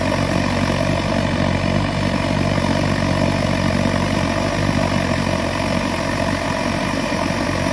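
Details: Svea 16 kerosene stove, roughly WWII era, fitted with a replacement flame ring that is too tall: loud steady roaring buzz with fast pulsing throb like a pulse jet; a shorter flame ring cures it.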